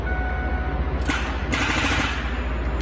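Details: Car (Lightning) with dead battery: interior lights work and fuel pump primes, but turning the key gives fast rattling chatter of clicks with no cranking; dead battery suspected, other causes possible.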